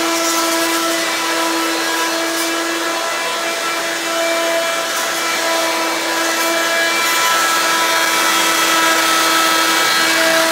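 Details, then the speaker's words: Hoover Quik Broom II S2141 stick vacuum damaged in shipping; loud, piercing steady motor whine with sharp high tones, louder than an S2095; owner unsure if the shipping hit unbalanced the motor or broke the fan. "but to the point this thing's pretty loud even louder than the s20 9/5"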